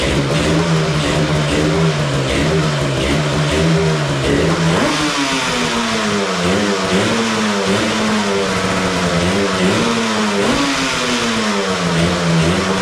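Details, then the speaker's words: 1985 Yamaha RZ350 two-stroke, premix fuel, first run on makeshift setup before rebuild: rough, uneven revving with a lopsided stumbling beat, seems to run on one cylinder, right cylinder possibly weaker; owner suspects fouled original spark plugs. "well it's uh running kind of poorly really seems like it's running on one cylinder"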